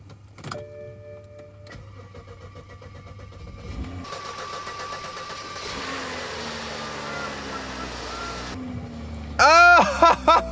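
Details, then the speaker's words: BMW X5 from auction, starting after a new low-pressure fuel pump was installed: a few clicks, it primes, catches on the second try and settles into a steady, even, healthy idle with no misses or knocks. "what a beauty [Applause] let's go listen to that thing purr"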